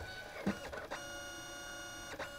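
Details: Canon Selphy CP760 photo printer being repaired for a false transfer-cassette-finished error, powering up: a whirring gear train with light clicks as the head cycles and parks, smooth and even, no skipping or grinding, ready to print.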